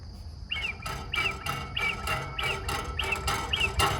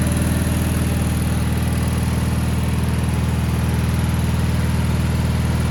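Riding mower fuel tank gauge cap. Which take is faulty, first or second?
first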